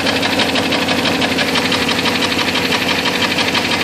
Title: Jeep 4.0 nasty ticking sound - broken piston